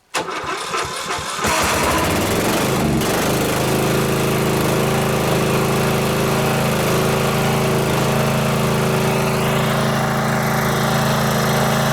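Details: Riding mower on its original loud muffler, before a quieting exhaust modification, started outdoors. The starter cranks, the engine catches and settles into a steady, even drone with a firm low beat: normal running.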